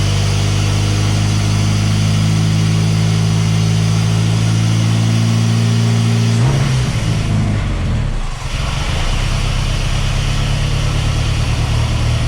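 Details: Mercruiser 140 boat engine swapped into an S10, charging at 14 volts: deep steady idle suddenly shifts speed partway without throttle; unstable warm idle surge, cause not yet found (some fuel pools in intake).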